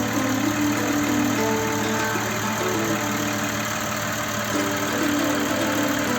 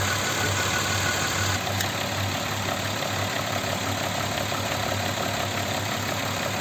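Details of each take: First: Audi Q7 3.6 FSI VR6 that knocked during warm-up, after a major repair: smooth, even idle with a steady mid-pitched hum and no rattle or knock. Healthy. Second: Audi Q7 3.6 FSI VR6 started cold: quiet at first, then a light uneven metallic rattle over steady idle appears and grows as it warms; worn cam phaser with play found.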